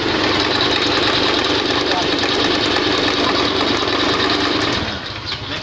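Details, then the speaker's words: Honda Beat FI scooter fitted with overly extreme CVT rollers: coarse, gravelly roar over the revs with strong vibration, sounding like a factory engine; rough CVT, damaged drive face. "nah disini mengalami masalah pada bagian CVT bunyi Hai kasar seperti ini kasarnya saya coba dulu"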